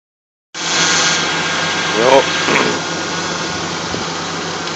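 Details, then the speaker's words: 1994 Ford Aerostar van needing a tune-up: idle loping unevenly with irregular stumbles breaking the drone; rough idle, cause not confirmed. "this is what a van sounds like when it needs a tune up it's a 94 for AR STAR"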